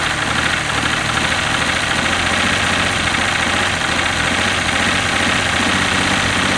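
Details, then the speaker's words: 1967 GMC C20 with a 305 V6, stuck and sitting at least 7 years, carburetor in very poor condition: steady but ragged, rough engine note running only on starting fluid (brake clean); no smoke. "there you go it runs it's about out of brake clean too I should by stocking this stuff as much as I use"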